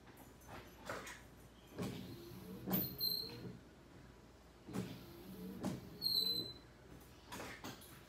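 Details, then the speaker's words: Car windshield wipers squeak and chatter with vibration on every sweep, from rubber blades dragging on unlubricated glass; fix is lubricating the windshield. "So nag Once na activated Iyung wiper nag Squeaky sound or nag-noise siya na parang rubber na nagkikiskisan"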